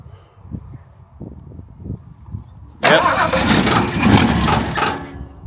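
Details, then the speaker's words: Ford XL Falcon ute after carburettor rebuild, fuel filter filling but bowl maybe not yet full: several seconds of uneven cranking, then a loud rough catch that fades; hard start, cause suspected, not confirmed. "Yeah, it's filling up. That's coming. It's probably just got to fill the bowl up."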